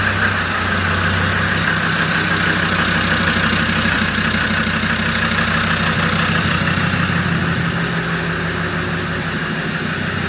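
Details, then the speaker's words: Land Rover Defender Td5 110 with a GTB450 turbo, first start on reconditioned injectors after priming: rough idle with a regular knock and smoke. Diesel dropped into the cylinders when the original injectors were pulled. "So first start these. Obviously, where we pulled the original injectors out, you do end up dropping a bit of diesel down inside the cylinders. Um, hence the smoke uh the knocking on start."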